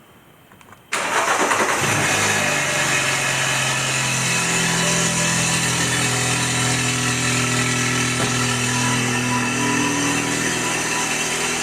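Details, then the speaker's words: BMW N20 320i, about 140–150k, Mitsubishi turbo rebuilt with new cartridge after wastegate rattle, with downpipe: cold start catches quickly, settles into loud even idle, no turbo rattle; normal cold start and idle, slight wastegate linkage and injector tick. "so I am going to do a cold start so you can hear that there's no more rattle coming from the turbo and you can hear what the downpipe sounds like on a cold start"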